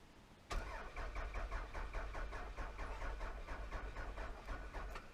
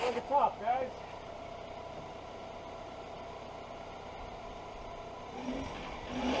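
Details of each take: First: 1999 Toyota Solara, hot-wired; starter spins the engine at an even chug about four beats a second for five seconds but it never fires. Owner suspects it is out of gas: fuel gauge on empty, no fuel pump heard. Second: 1999 Toyota Solara that had sat for years, running on old stale gas after ignition switch replacement: quiet, even idle with a steady hum, no stumble, misfire or smoke.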